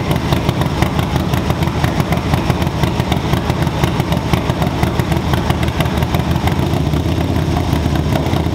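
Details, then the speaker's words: 2024 Harley-Davidson Low Rider ST, Stage 2 build with 483 Cyclerama cam and SP Concepts 2-into-1 exhaust, first startup after the cam job and not yet tuned: deep, loud V-twin idle with a loping gallop of about two lumps a second; healthy. "it sounds absolutely amazing guys I mean you got to hear in person on video it's going to sound good but it sounds me a better person um nice Gallop to it nice lobe deep lobe at that"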